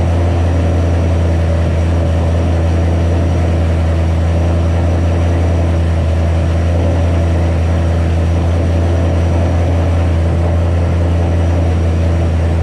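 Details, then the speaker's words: 2007 Ford Shelby GT500 supercharged V8 just after first start following L&M NSR cam install with Venomous Tuning tune: loud steady deep drone, constant low pitch, no dips or hunting; fast high idle, later lowered by a tune revision. "all right so a little bit has happened since that last split pretty much you saw the car start up idled real high let it go i was looking around at stuff and turned it off"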